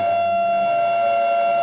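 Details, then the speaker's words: Yaskawa CPCR-MR-152G DC servo drive with a motor not designed for it: loud steady high-pitched whine as the servo hunts back and forth. Suspected drive/motor mismatch. Servo motor whine. "this isn't the motor that was designed to work with this Drive right here so I imagine that's all part of that mismatch from why we're making so much noise when we servo back and forth like that"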